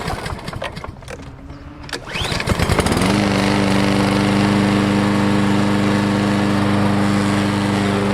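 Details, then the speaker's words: Push lawn mower after replacing a blade bent by hitting a stump: starts after a couple of pulls and runs smooth and even with barely any vibration; previously vibrated badly, almost like misfiring. "I mean it was like before you know you barely felt any vibration really good running lawnmower nice and smooth"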